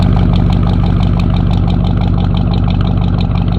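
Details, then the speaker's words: Oldsmobile Cutlass 307 V8 just back from the mechanic: loud, deep idle with a steady rhythmic pulse and a slight cam lope, even and unbroken; a normal idle. "sound like you got a slight cam in it"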